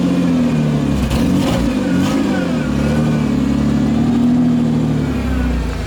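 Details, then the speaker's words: 1992 Ford Explorer, 4.0-liter, 5-speed junkyard truck, run under load to check for a miss: it pulls smoothly, pitch rising and easing evenly with no stutter or dropped beats. No misfire, normal running under load. "So basically, he puts it under a load to see if the engine's missing."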